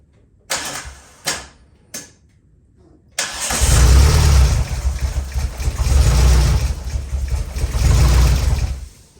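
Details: Race car being readied, running on a jump box with ECM link not connecting: three starter bumps then long steady cranking about 200 pulses a minute that never fires; no fuel pump heard, timing suspected off.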